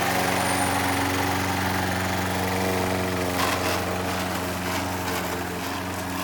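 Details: Old Toro Recycler mower with bad transmission, mowing: small single-cylinder engine pulsing about four times a second with rough gritty grind underneath; worn drive transmission.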